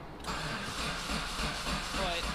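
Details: Mitsubishi 3000GT VR4 twin-turbo 6G72 DOHC, new engine on stock ECU, injectors and new plugs, about 60 cranking fuel pressure: starter spins steadily but never fires; spark present, owner suspects spark timing off.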